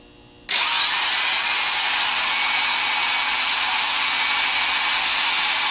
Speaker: of rebuilders the seasoned ones they mainly go by the sound so we're going to try and hear a nice smooth run and we want to hear to achieve a certain rpm like this